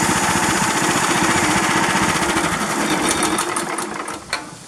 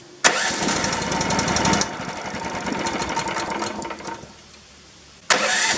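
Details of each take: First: 13.5 HP Briggs engine, plastics off, after ultrasonic cleaning cleared the blocked carburetor idle passage: settles into an even, steady idle after a throttle blip with no surging, then eases down cleanly; idle fixed. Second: 13.5 HP Briggs engine after carb removal, compressed-air and spray-cleaner cleaning: catches, runs briefly, dies, restarts and hunts unevenly, won't idle off throttle; something still blocks the carburetor's minuscule idle passage.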